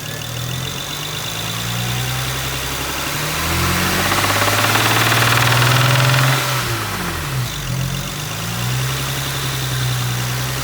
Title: The sound of ROD KNOCK from SPUN ROD BEARING